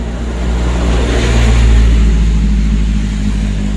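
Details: Honda Megapro motorcycle with fullwave ignition, after tracing and reconnecting the ignition wiring for a sudden-stall complaint: steady low engine thrum with a brief rev swell, even firing, no misses or knocks.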